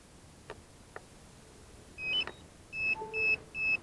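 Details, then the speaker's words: DJI Phantom 4 Advanced remote controller (GL300C) after stick repair, at power-on: bursts of short high-pitched beeps, two or three a second; owner suspects it is beeping because it's not yet calibrated. "it is beeping as could be expected possibly because it's not calibrated"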